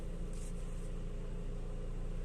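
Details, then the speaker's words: After repair on a BMW X1 with engine running: steady low hum, no groan or whine. Before, turning the steering left or right made noise and it was felt in the hand; the steering was removed and lathe-machined, then refitted. Steering now quiet. "ये देखिए चालू है। कोई noise नहीं है। पहले noise हो रहा था स्टीयरिंग कटाने में और हाथ में मालूम पड़ रहा था। ऐसा कुछ नहीं है, सब सही हो गया।"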